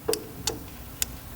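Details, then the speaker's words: Spark CycleWorks Javelin e-bike, 12 V brake light relay triggered by the left (regen) brake lever: four sharp, crisp clicks about every half second, quiet background; relay switching on and off normally. "can hear the relay initiating, right?"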